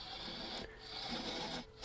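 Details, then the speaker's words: Wet wood bowl on a shaky lathe: steady high hiss of a gouge making a smooth, good cut, compared to a bumpy one. "And here, even though it's spit up, you can hear the hissing of a good cut compared to a bumpy one."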